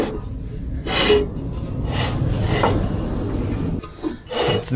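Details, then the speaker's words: MTD ride-on mower, sat outside five years, nearly seized blade spindle turned by hand: rough, dry rasping in uneven bursts, the scrape of unlubricated, worn spindle bearings that need oil. "dry bearings if we get some oil in there it's gonna be a hell of a noisy"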